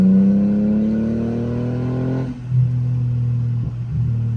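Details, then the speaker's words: Mercedes W210 driven under load after a conductor plate replacement: revs climb and hang high with no upshift, stuck in first gear; no check engine light, cause unknown. "I don't know why I just feel like it just want to go but it's just not uh shifting like it's uh supposed to or whatever just stand in first gear which sucks"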